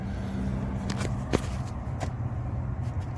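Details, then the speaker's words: Lennox Landmark package HVAC unit, service call after a trouble alarm, failed crankcase heater; blower tightened, compressors sound good; steady low hum with a couple of faint clicks, no rattle or scrape; normal blower operation. "compressors sound good we got our blower all tightened up that sounds"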